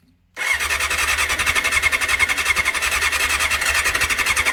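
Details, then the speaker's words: 1989 Honda CBR600 restoration with cleaned carbs, fuel now on and primed, choke on: fast even whiny cranking pulses, engine trying but not firing; adding fuel/throttle seems to kill it, cause unconfirmed; it later starts. "Go on, baby. Come on, come on. Oh, it's like it's trying. Fuel seems to kill it."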